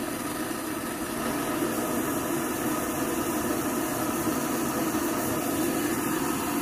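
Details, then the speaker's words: Vintage Rogers Akron Ohio M1950 military roaring stove, turned off and relit: steady, even roar with no sputtering, popping or surging; clean burner operation with a perfect blue flame. "got a perfect blue flame hey these things are self-healing let me tell you can you hear me now man that's some roaring going on there"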